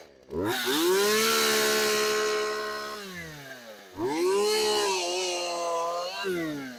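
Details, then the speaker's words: Craftsman chainsaw left outside for years, warming up after a cold start: fires, climbs to a high steady buzz, settles and revs again cleanly with no sputter or bogging; running healthy. "we're going to let it warm up for a little bit I'll give it a couple wide opens and some idle time and then we'll run it"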